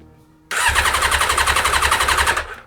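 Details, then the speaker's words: Yamaha XJ600 with new battery and auxiliary fuel bottle, choke out: starter churns with a fast steady pulse for about two seconds but the engine never fires; cranks without starting before starter spray is tried. "so the bike now just didn't start that's kind of bad news"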